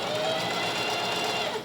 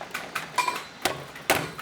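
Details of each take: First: Singer 4423 heavy-duty domestic sewing machine, pedal depressed, running at steady speed: smooth, even whirr with a light mechanical hum and no knocking; running fine, though a slight hand-wheel squeak suggests it may want oil. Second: Singer 4432 heavy-duty sewing machine, used heavily since September 2024, just cleaned, oiled and greased: a few loose clicks, then a fast even clatter when run, with a possible faint knock; it has always been noisy and needs adjustment investigated.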